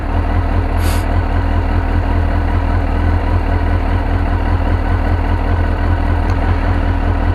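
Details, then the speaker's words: 2002 Suzuki GSXR 1000 just after first start following yearly maintenance (tank rinsed, pump cleaned, new air filter and plugs), temp 70 degrees: deep steady idle with even low throb, no knocks or misses; running smoothly. "she's alive see what they'd say purring like a kitten"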